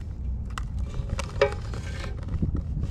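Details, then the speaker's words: 2008 Yamaha Zuma 50 two-stroke scooter, tank being shaken after the carburetor float bowl showed chunks: irregular dull clunks and rattles of something loose and solid inside; debris in the fuel tank. "I don't know what that is bouncing around in the tank foot flip all right I'm going to go ahead and try to get whatever that is in there out it's bouncing"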